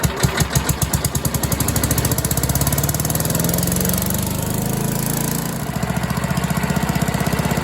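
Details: Troy-Bilt chipper/vac with a 5 hp single-cylinder engine that sat for years, after fuel line replacement: steady fast thumping, revs rise briefly and settle back; runs evenly without misfires.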